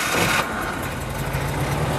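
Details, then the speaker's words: Truck engine on a homemade wood gasifier, restarted as gas rolls out of the reactor top; brief crank, then catches and settles into a smooth, steady idle; normal start and idle. "all right that's great it means all the work was worth it folks"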